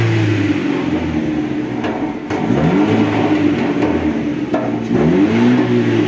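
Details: Chevrolet Cobalt, repeated throttle blips before repair: a loud, hollow, raspy exhaust drone that rises and falls, from a muffler whose internals are broken.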